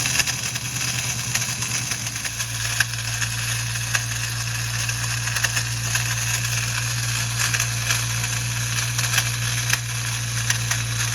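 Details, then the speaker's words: Ford Mustang Bullitt idling; constant metallic buzz and crackle through the engine bay, traced to the starter not fully disengaging, its drive dragging on the flywheel. "finally we checked the starter and it definitely sounded like it was coming from the starter so our idea was the starter was probably not fully disengaging and it was dragging on the flywheel"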